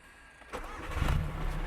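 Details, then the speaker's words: Audi A3 2.0 TDI BKD diesel tuned to 360 bhp / 520 lb-ft, with a water pump controller fitted: brief crank, then fires at once and settles into a smooth, low idle with no hesitation; starts easily. "That, if I lean over and just start it, you'll be able to hear how easily it starts."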